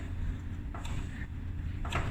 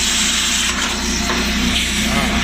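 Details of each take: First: Maytag dryer whose blower fan was hitting its housing after reassembly: after hammering the housing out for clearance, low, soft, even rumble with only light thumps and no scraping; dryer now runs quiet. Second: Maytag dryer, recently opened for a thermal fuse check and full of dust. A steady drum roar with a dry, uneven scraping rub running through it: the blower fan is rubbing, clogged with lint and dust.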